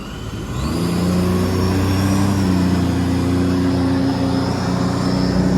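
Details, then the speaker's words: 2010 Sea-Doo RXT-X 260 supercharged, rebuilt engine, warm, load test in regular mode: revs rise smoothly from about 3,500 to 4,500 rpm as a thin whine of the supercharger engaging comes in cleanly; healthy. "Bring it up to 4,500. Now we can hear the supercharger engaging."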